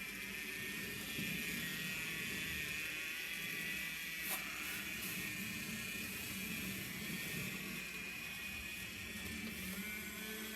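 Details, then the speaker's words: Small toy steam-style train locomotive at max speed: loud, constant high-pitched buzzing whir that barely changes. The motor labours, runs slow and draws a lot of power. It has run poorly since a wheel came off and was refitted; cause unconfirmed. "And that's max speed. And she shouldn't be making that much noise either. So definitely something wrong."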